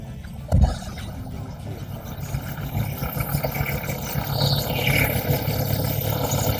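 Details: 2018 Skoda Superb 2.0 TSI just after spark plug replacement, cold start: starter catch, then a low, even idle rumble that firms up as it comes down off the cold-start fast idle, no misses or stumbles; normal smooth idle.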